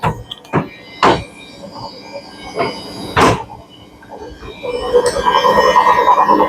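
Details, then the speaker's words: Samsung 7 kg front-load washer on spin cycle with load, RPM increasing: heavy irregular bangs then rising spin rumble; drum knocking caused by broken drum shaft. "yes dear friends it is problem with the Shar it is already broken here Shar already broken because of that only maki"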